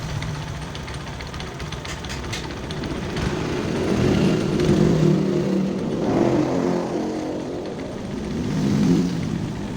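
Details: Honda Verza 150 clutch housing: a loose, uneven rattle of about three per second swells with revs. The damper rubbers are suspected hardened and loose. When checked by pressing the clutch lever, the noise sometimes disappears.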